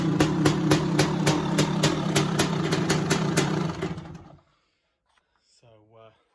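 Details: 1985 Honda CR500 two-stroke project bike, hard to kick-start, idling indoors: rough crackle with sharp regular pops about four a second before dying; it only runs on choke though the pilot jet is clear, and the tick-over needs adjusting.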